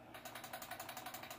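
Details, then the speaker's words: Hatsan Flashpup Quatro trigger, cocked so bolt can't move, gun shaken: quick light metallic ticking about a dozen per second; trigger blade rattling from about 1/16 inch of side play. "the bolt handle and the bolt can't jiggle or anything and make any noise so just listen to this that's nothing but that trigger"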